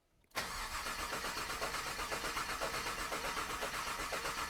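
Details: Freshly built 1998 GMC Sierra work truck, 13,341 miles: even starter churn about four beats a second, coils unplugged to prime oil, no firing; gauge showed no oil pressure, traced to a faulty sensor.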